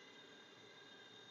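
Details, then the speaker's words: Sovol SH01 filament dryer stock fan: steady high-pitched whine over a soft airy hiss at constant pitch, loud and annoying, like a small fan about to die; failing cooling fan, to be replaced with a 40mm fan. "You hear how loud that fan? It's a whining sound too. It sounds like one of those fans is about to die on your computer."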